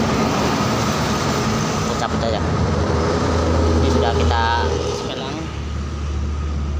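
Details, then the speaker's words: Honda Scoopy fuel-injected scooter after engine overhaul, DTCs cleared and injection reset to factory settings with scanner, CVT pulley not yet fitted: steady, even low putter with no knocks or ticks; normal, healthy idle. "kita ini udah motornya udah enak banget ya teman-teman untuk area mesinnya"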